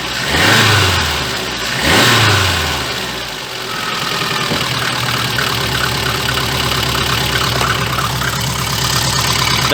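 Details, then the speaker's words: VAZ 2114 after fixing a knock that appeared on throttle release: revving rises and falls cleanly into a smooth steady idle, no clatter when the throttle snaps shut; a leaking muffler adds a low-frequency exhaust note. "у меня сечет глушитель поэтому будет такой низкочастотный поц не обращайте внимание сейчас попробую погазовать вроде никаких звуков я пока не слышу"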